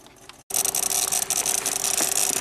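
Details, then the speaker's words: 1993 Cadillac Allante with an ignition-related check engine light: fast, sharp relay clicking chatters continuously in the fuse panel over a faint hum while the display dims and recovers. "that's a little concerning that relay a relay in there is going nuts"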